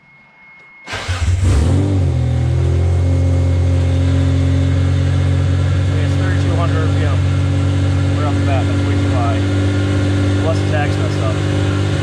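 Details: 1992 Dodge Stealth R/T with fueling issues, fuel pump not heard, relay refitted: starts and holds a steady fast idle around 3000 rpm that never drops; owner suspects massive vacuum leak or idle air control valve.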